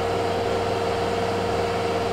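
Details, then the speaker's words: Kenmore (LG) 796.41392.511 front-load washer, 5 years old, running great, in a test cycle: even steady mid-pitched hum from the inverter motor at about 1150 RPM, no knocks or rumble; drum spinning normally at high speed. "so now it's spinning at about 12200 RPM or 1150 to be exact the inverter motor is super quiet on this thing I can barely hear it from the next"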